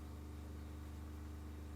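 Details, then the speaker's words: New replacement water pump rated 55 PSI, accumulator set to 52 PSI, running around 54: low steady hum with even pulse, no rattle or surging; considerably quieter than the previous Shurflo. "so we can see there it's around about that 54 mark so that is considerably quieter than the uh the previous Shore flow"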